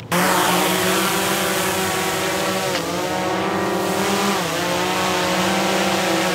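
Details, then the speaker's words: DJI Mavic Air with Master Airscrew propellers, hovering: steady buzzing whine at near-constant pitch with small wavers; smooth, normal, about as loud as a Mavic Pro with low-noise props and close to a Mavic 2 Pro. "With these propellers on, they are about the same noise level as the Mavic Pro with the low noise propellers and pretty close to the same as the Mavic 2 Pro, according to my preliminary numbers."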